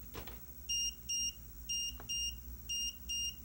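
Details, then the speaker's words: DVR monitor no-video alarm: a high electronic double beep repeating about once a second when one or more cameras has no video, a different tone from the not-recording alarm; it sounds for an hour or two, then stops automatically. "can hear that double beeping sound every time. Okay, anytime that you don't have video, that's what you're gonna hear."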